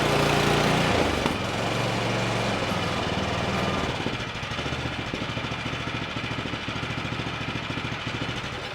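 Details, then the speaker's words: Craftsman Select 26 snow blower (model 31AM6C2FB93), 675-WUB engine, after fuel flush and carburetor work, warming up at about half throttle: steady, even putter with a clean regular beat and no misses after a loud start; normal running. "good okay so we're back up and running"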